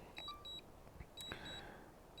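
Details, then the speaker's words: DJI Mini 3 Pro controller emitting repeated short high chirps as the return-to-home button is held manually. This happened after signal loss and a gray screen at roughly 18,000 ft range. "so just to be safe I'm gonna go ahead and hold down that return to home button manually on the controller there"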